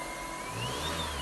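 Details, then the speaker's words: Car audio with an old amplifier: a thin, high whine rises and falls with engine revs through the front speakers; it was previously cured by grounding the RCAs behind the radio, and the cause is unconfirmed. "give it gas just winding right through the front speakers"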